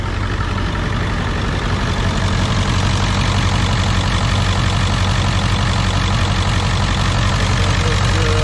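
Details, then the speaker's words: 2001 Ford F-450 7.3 diesel, previously running on 4 cylinders with codes P1316, P1271, P1274, P1275, after IDM/UVCH wiring checks: once oil pressure builds past 500 it settles into a deep steady idle, no miss; running smooth. "once she builds past 500 she's gonna run and she seems to be running pretty smooth"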